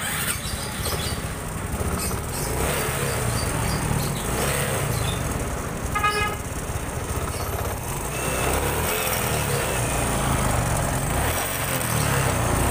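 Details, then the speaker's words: Honda Supra 125 fuel-injected motorcycle after tightening: it now holds an idle but still runs unevenly, with stumbling, skipping beats against street noise, so the ECU is being reset again. "Oh, masih rada macet-macet dan pincang, kita reset dulu."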